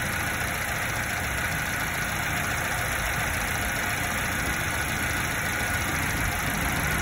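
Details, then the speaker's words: 90s Subaru Sambar KS4 carbureted engine, steady even idle with idle mixture screw at half a turn: no bog, and going richer neither raises rpm nor smooths it, so mixture left there. "there's no bog with this and if i keep making it richer it does not raise the rpm or get any smoother"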